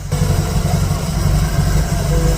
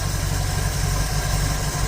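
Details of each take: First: 1951 Dodge Wayfarer 230ci flathead six with Gyromatic, rebuilt Stromberg BXVES-3 carb, warm, after raising idle to about 450 rpm: low slow steady idle with an even chuffing beat and no misses or stumbles; healthy idle. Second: 1951 Dodge Wayfarer 230ci flathead six with Gyromatic, freshly rebuilt Stromberg BXVES-3 carb, warm: slow deep loping idle with a soft uneven pulse at about 350-400 rpm, below the roughly 450 spec; idle speed set too low.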